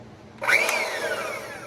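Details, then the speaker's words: Montgomery Ward Powr Kraft 2-speed polisher sander after oiling bearings, greasing gearbox and reassembly: motor spins up quickly to a smooth, even whir with no rattle, scraping or knocking; sounds much, much better, running normally. "Yes. That sounds much, much better."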